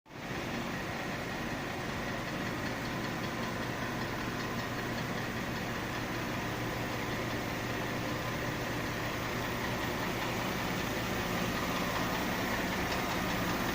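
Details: 2005 Mercedes ML350 at steady idle with a faint, fairly quick tapping of about four per second under the hum; a newly appeared engine knock, cause unknown.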